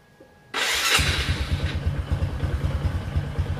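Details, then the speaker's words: Motorcycle starting on a homemade 12V LiFePO4 pack of used cells replacing the lead-acid battery: brisk, even crank, lighter than the earlier rough-sounding attempt, catches within half a second into a lively idle; strong, healthy starter. "Ini lebih enteng daripada tadi ya. Tadi kan suaranya agak kaca kerak gitu ya. Ini ngejring ya."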